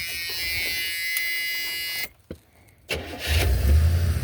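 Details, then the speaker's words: 1977 Buick LeSabre, refilled after sitting with about 5 gallons of varnished fuel: steady whirring crank, a pause, another crank with low rumble, engine never catches; cranks but won't start, owner thinks the carburetor is done though it is getting fuel. "Yeah, that carburetor I think is kind of done on her."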